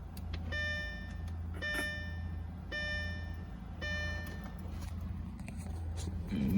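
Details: Audi A4 B6, ignition in ON position, engine off: faint light electrical-sounding clicking between door chimes, source not identified; owner unsure if normal.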